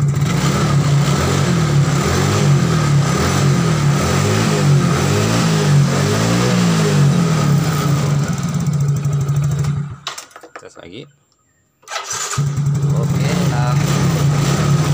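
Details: Yamaha Mio GT scooter that would not start, running again after fixing a broken wire to the injection fuel pump; even steady idle with a quick regular beat and a brief cut midway; running normally.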